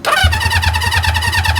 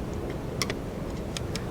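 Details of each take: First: 1973 Honda CB350 Four bought as a Facebook Marketplace project: quick, even cranking thumps with no firing; spark is found and the plugs may need cleaning. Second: 1973 Honda CB350 Four, points broken earlier, missing black wire reconnected, key on, points grounded by hand with plug out; faint irregular snapping crackles as points open and close, spark present; ignition spark present.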